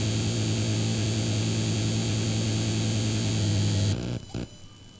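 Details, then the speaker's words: PC speakers/amplifier put out a loud constant low hum with a harsh buzz though no audio is playing; software checks fine, computer's internal noise carried through the speakers, louder under workload; electrical interference suspected, not confirmed. "Questo è quello che si sente in uscita delle casse e non sta andando audio Eh non c'è Player Questo è proprio il suono del computer che esce dalle casse"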